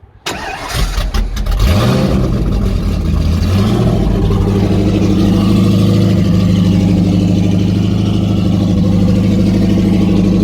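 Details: Rebuilt stock 304 V8 (5.0L) with 11R heads, 53 cc chambers, about 10.2:1 compression, first startup not at full temperature due to coolant issue; cranks, catches, steady lumpy idle with strong exhaust pulses; normal cold start and idle.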